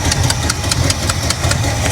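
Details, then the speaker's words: 1985 Chevy El Camino V8, wrecked salvage car, after fixing fuel leak by shortening a hose and fitting a new clamp: deep, lumpy, steady V8 idle with no knocks or misses; healthy. "oh she sounds mean [Music] she sounds healthy guys that sounds real healthy"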